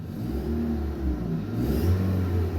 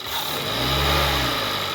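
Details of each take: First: 2018 Hyundai Tucson, about 118,000 miles, loss of power with no check engine light; after repair, revved to about 5000 rpm. Deep, even note climbing freely; exhaust pressure gauge at upstream O2 port barely moves, so fixed. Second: 2018 Hyundai Tucson, about 118,000 miles, loss of power with no check engine light; air box off, helper raises rpm. Muffled, strained note that won't climb freely; pressure gauge shows restricted exhaust, catalytic converter suspected.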